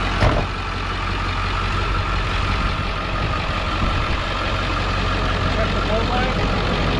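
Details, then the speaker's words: Auction work truck that starts right up and drove and shifted fine, with a slight oil pan drip: steady low clatter at an even idle, no knocks or misses; healthy. "it starts right up and it drove fine it drove fine all the way here it shifted through all the gears good"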